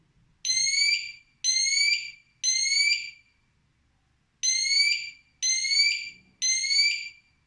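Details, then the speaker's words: Siterwell GS559A wireless smoke alarm: high shrill beeps in threes, a pause, then three more, about one per second; normal alarm test pattern. "Press it 3 times as well. You will hear a beep. That means it's interconnected."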